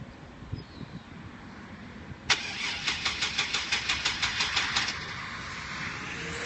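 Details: Van cranks in steady chugs about three a second for roughly 2.5 seconds but never catches; crank no start. Owner suspects the battery, never changed in about two years of ownership and showing corrosion; cause not confirmed.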